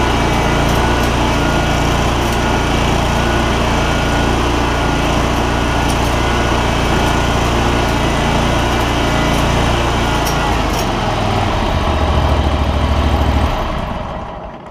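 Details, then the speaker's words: John Deere ZTrak Z915E mower, Kohler Command CV742 25 hp V-twin, 341 hours, sat 2 years, after carb clean fixing sticky solenoid: steady even V-twin drone holding speed, no misses or knocks; normal healthy running. "CV742. Big boy, 25 horsepower. So, man, that thing runs so good."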